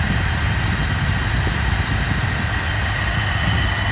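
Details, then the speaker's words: 1978 Mercury Cougar XR7 hardtop, 35,100 miles, hood open in engine bay, no leaks, gaskets replaced; steady even idle with smooth low rumble, no knocks, ticks or misses; runs and sounds like it should; normal idle. "Everything runs like it should, sounds like it should."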